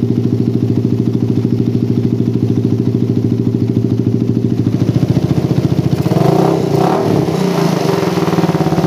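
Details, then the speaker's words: Motorcycle with PWK carburetor and racing exhaust, after resetting the air screw to about 2.5–3 turns to cure the helicopter-like stutter: even, steady idle with no stumble, clean pick-up on a small throttle blip. "nah hasil setengah setting angin idealnya stabil banget guys ini udah layak untuk digunakan sehari-hari terus barusan dicoba digas sedikit udah nggak ada brebet helikopternya udah benar-benar hilang"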